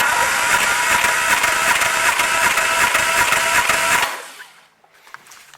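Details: Triumph Spitfire MkIII after a head rebuild, cranking in neutral for a compression test with the plugs and carburetor removed. Steady, even cranking for about four seconds at about 2.5 pulses per second; healthy, about 180 compression.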